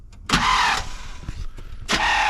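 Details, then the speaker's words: 1979 Chevrolet C10, sitting for years, fuel line disconnected: two short half-second starter bursts, a whirring grind that cuts off abruptly as the engine turns slightly then stops; Bendix or flywheel suspected. "it's turning a tad bit and then stop oh turning stop that is that doesn't sound good"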